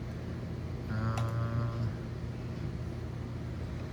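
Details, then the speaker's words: MDD 22TB NAS hard drive (renewed, replacing a DOA unit) in a USB dock: low hum and a short rising whine as the platters spin up, then a quiet steady run with no clicking or beeping; normal spin-up, though not yet detected in Windows. "the drive is spinning up the the last one I got that was DOA was just making beeping sounds uh this sounds like it's working but it's not coming up in Windows"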